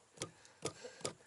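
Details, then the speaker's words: 2015–2018 Ford Mustang S550 / Shelby GT350 dash module after a sound-mat and window-weld rattle fix: four hard knocks that die away at once with no lingering resonance buzz, the rattle cured. "and that's it you don't hear that that extended resonance buzz"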